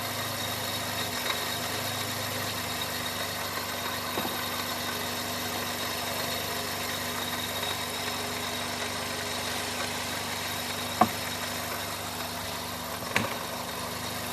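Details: 2001 Chevy Prism, Toyota 1.8L: low idle with uneven stumbling beat and odd sharp pop; water dumped on intake runners and throttle body changes nothing; misfire and lean codes from restricted fuel injectors.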